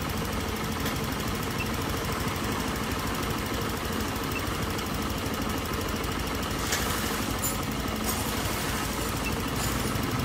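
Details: 2013 Honda Air Blade scooter losing throttle and sometimes hard to start despite many replaced parts: rough, uneven idle with a knocking, stumbling beat; misfire from a failed ignition coil that also killed the newly fitted spark plug, fixed by replacing the plug.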